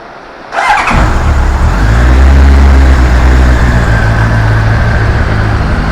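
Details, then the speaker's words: Honda CBR1100XX Super Blackbird, carbureted four-cylinder, cold start after two years' storage, fed from a small temporary fuel tank, carbs not yet synchronized: quick crank, catches at once, settles into an even steady idle; normal cold start and idle. "No całkiem ładnie jak na sprzęt nieruszany przez d lata. Nawet całkiem równo pracuje, a jeszcze nic nie jest wystrojone."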